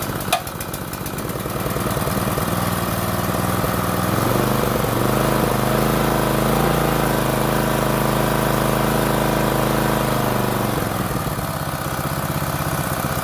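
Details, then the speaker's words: Small petrol water-pump engine after carburetor flushed in place without removal, started with choke and slight throttle, air filter off: pull-start catches into steady, even single-cylinder putter about three beats a second, no misses or knocks; running normally. "เป็นยไงครับแค่นี้ก็ได้แล้วนะครับ"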